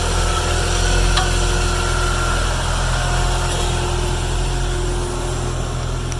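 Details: 1996 Jeep no-crank, already fitted with a new starter and switch: after the starter's top small terminal is jumped with a screwdriver, key on, a steady, even low rumble with no misses or knocks. Starter is fine; the faulty safety neutral switch is the cause.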